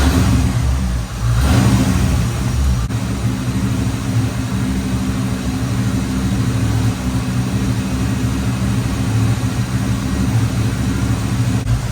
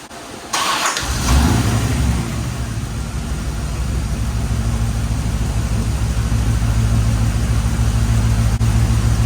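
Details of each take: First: 1989 Chevrolet Corvette C4 V8, sat for years, with a misfire: slightly uneven, lumpy idle; ignition timing suspected to be off, checked with a timing light. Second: 1989 Corvette C4 after the loose distributor was tightened and timing set to 10 degrees, advancing to 26 degrees. Starts quickly, then holds a steady, even low idle rumble with no stumbles: normal idle.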